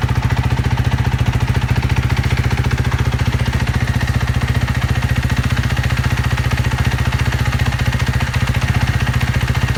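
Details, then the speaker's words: 2012 Kawasaki KX250F single-cylinder after a top-end rebuild with cylinder and head: even, steady thumping idle at about three to four pulses a second, no knocks or misses; starts easy, runs smooth. "And besides that, I think we're good to go. She starts easy, runs pretty smooth."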